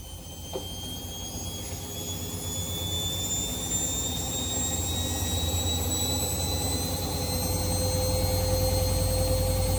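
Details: Washing machine after repair of a loud, unusual noise while the drum turned: smooth whir climbing steadily in pitch as the drum spins up, with no knocking or banging; normal spin cycle.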